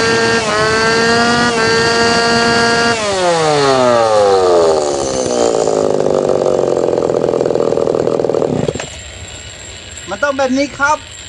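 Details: Tanaka PowerMate PMS340 pruning saw two-stroke, repaired after failing to rev due to a failed fuel delivery system; hot, after final tuning: crisp buzz climbs cleanly to high revs, holds, drops back without stumbling; ready to hand back.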